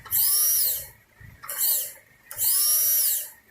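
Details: 2015 Chevrolet Silverado 2500 that cranks but won't start; fuel pump bench-tested by touching it to the battery, giving three short, high-pitched whirring bursts each under a second, spinning up and stopping cleanly; pump works normally.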